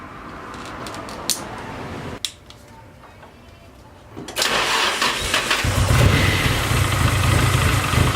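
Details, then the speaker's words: SR20-engined 240 that lost power at about 5,000 rpm, running stupid rich: cranks, catches, then a lumpy, uneven idle missing a cylinder; swapping the ignition part first did not fix it. "The car definitely sounds like it's misfiring because when you try to rev it up, it just sounds like it's missing a cylinder, and it's stupid rich."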